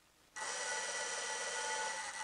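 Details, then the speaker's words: Old-style vehicle generator bench-tested as a motor on 12 V with field and output wires joined: steady high whir with a gritty, raspy edge; not running great, but working. "so that indicates as you can hear it's not real crash hot but it indicates that the thing is working"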